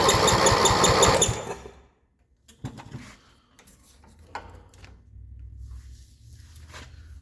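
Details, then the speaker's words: 1978 Yard-Man Snowbird snowblower with a 10 hp Briggs engine made in 1977, cranking after a starter clamp repair. Steady fast cranking for about a second with no firing, then silence. No spark; a grounded kill circuit is suspected. "Try and get spark, and if something's maybe accidentally grounded, it wouldn't have spark."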